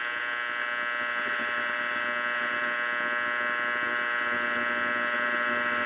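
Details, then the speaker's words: Restored Philco cathedral radio during final IF and RF alignment on AM: constant buzzy hum with a harsh edge that never changes; the owner attributes it to electrical pickup from nearby fluorescent lights. "It's my fluorescent lights. There's something there, but can't get it without a good antenna."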